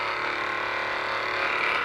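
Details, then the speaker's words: Hypervolt knockoff portable percussion massage gun: harsh, steady high-pitched motor whir with a fast rattling buzz throughout; sound judged unacceptable, no fault identified, and the power switch is badly placed. "the on and off switch is not in the best position oh yeah but this sound this sound is just unacceptable"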